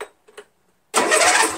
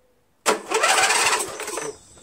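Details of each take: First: Untested 13hp Briggs flathead engine on MTD Cub Cadet lawn tractor, first crank with battery fitted, no gas yet: brief, brisk, even starter churn at healthy speed; nice strong crank. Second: 13hp Briggs flathead on MTD Cub Cadet lawn tractor, fresh SAE 30 oil, no air filter fitted: starter spins about 1.5 seconds without firing; no start, fuel suspected not reaching through dirty carburetor.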